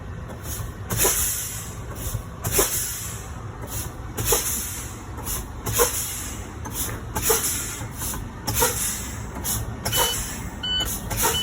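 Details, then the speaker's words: Truck air brake low-pressure warning test, pressure starting at 100 psi with the brake pedal fanned down. Repeated hissing air bursts, then a steady alarm; the light and alarm came on at 65 psi, within the 75–55 psi range, so the test passes. "Light and alarm, they both activated at 65 psi, making this a good test. Why? Because it's in between the range of 75 and 55 psi."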